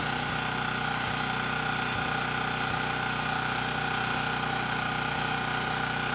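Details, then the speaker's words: Ridgid 5700 W generator (RD905712), Yamaha MZ300 engine, 1500 hours, rescued from the dump, warming up on a cold day before load: started first pull, steady even single-cylinder beat near four per second, no misses; runs healthy. "for something that was thrown away and has 1500 hours on it this thing's doing pretty good it started first pull engine sounds good and the power head seems to be doing a good job as well"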